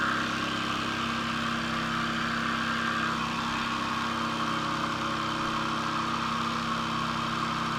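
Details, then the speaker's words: Cheap generic jigsaw after repair of damaged gear bushing/bearing, cutting with original Makita blade: steady even buzz through thick wood, no labouring or rattle, straight cut, no overheating; normal jigsaw cutting. "it doesn't rip the surface it goes really straight and you know the cut is really in this position and it doesn't overheat or something like that"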